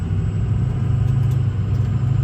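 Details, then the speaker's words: Ford 6.0 Powerstroke diesel after FICM replacement for rough running, warmed to 125° engine temp: steady, even diesel clatter at idle with no stumbles or misses; runs much better, healthy. "we let her warm up well warm up a little bit we're at 125 on our temp i like that a lot better"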